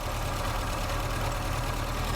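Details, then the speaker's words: 1960 Triumph TR3A first start, coolant leaking from overflow, oil pressure just over 50: steady idle with a constant mid-pitched whine over the rumble, which a stethoscope check confirmed was the water pump. "I don't like the sound. Sounds like the water pump. It's something else. We'll see. Something is making a noise."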